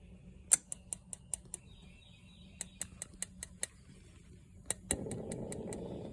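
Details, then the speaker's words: RV absorption refrigerator switched to propane during spring system checks (unplugged from AC power): sharp ticks in bursts about five a second, then a soft rush as the burner lights with blue flame; normal igniter operation. "and you can hear the click click click that's the igniter going"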